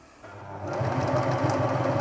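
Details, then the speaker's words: 1980s Singer Futura Electronic 2002 after servicing and refitting the electronic board and motor, testing reverse: motor spins up and the needle works in a quick even patter with no knock or bind; reverse lever is an easy push, like new. "Oh, nice. Yeah, nice, just easy. Nice easy push, like brand new."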